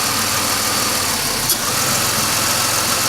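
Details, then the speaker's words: 2005 Chevy Impala 3.4L with intermittent no-start or start-and-stall: during a wiggle test of the camshaft position sensor harness, the idle wavers and briefly stumbles; the fault is that harness wiring, possibly oil-contaminated. "idling changing I think all this one opposed Wiegel test is always good to do in cars and that is the problem with this car"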